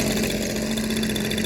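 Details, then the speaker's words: Echo PB230LN older handheld two-stroke blower at idle, tach spec 2500–3000 rpm, after carb kit with new fuel pump diaphragm, fresh fuel and purge hose; steady even buzz with no surging or missed beats; idle where it should be, no mixture adjustment needed. "I don't have to worry about taking out any of the mixture screws. The idle is where it's supposed to be."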